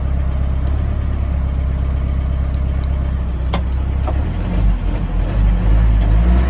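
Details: Mahindra Roxor turbo diesel in cold weather, idling on a low-fuel warm-up tune before switching to the P2 tune: deep, steady diesel clatter at a low even idle, slowly firming up as it warms, no misses or knocks; healthy cold idle.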